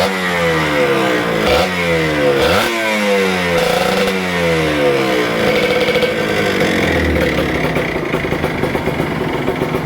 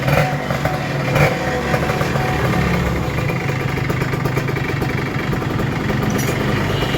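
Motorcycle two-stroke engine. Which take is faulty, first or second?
first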